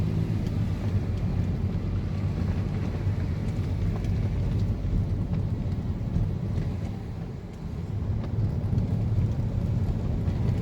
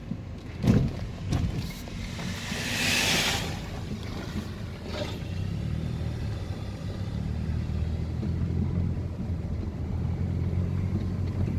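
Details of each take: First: 2014 Mercedes-Benz SLK200 (R172) on a test drive over unpaved rough road after tightening loose underbody bolts and nuts that caused rattling: a steady low tyre and road rumble with no knocks or clunks; suspension now quiet. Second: 2014 Mercedes SLK200 R172 driven on rough, unpaved road: a couple of sharp clunks over rumble, then steady drive; noise began after brake rotor and pad change, caused by loose bolts/nuts; suspension clunk.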